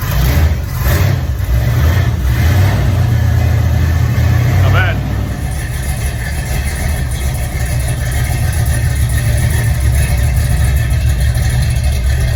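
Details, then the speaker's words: Car being rebuilt as a surprise gift, with timing set and fluids topped off, started before a test drive: catches quickly, revs cleanly, then settles into a steady, even idle with no knocks or stumbles. Healthy running. "Timing is set. Fluids are topped off. We're going to fire it up, and take it for a quick test drive, and then we got to get inside and get ready."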